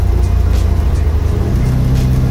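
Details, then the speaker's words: Car after rear end rebuild with a new ring and pinion to cure the old whine, road test at about 45–46 mph: steady low road rumble with no whine rising from the rear; the diff now runs quiet. "all right so here we are about 45 46 miles an hour typically it would be really bad at this speed so so far so good"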